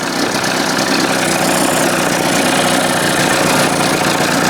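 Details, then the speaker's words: 1981 20 hp Evinrude two-stroke outboard just restarted without choke after powerhead flush and new thermostat, still warming up: busy idle with fast, uneven typewriter-like clatter and less smoke than before; stumble cause not yet found. "See how look less smoke there is? Still doing that typewriter thing, though."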